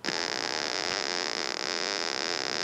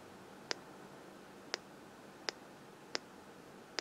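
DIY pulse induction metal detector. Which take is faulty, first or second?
first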